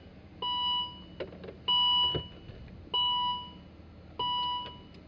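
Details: 2012 Volvo XC60 with no crank, no start: four sharp electronic chime bursts roughly every 1.3 s over quiet cabin hum, with immobilizer, brake, SRS and blind spot warnings. All traced to a faulty power steering control module.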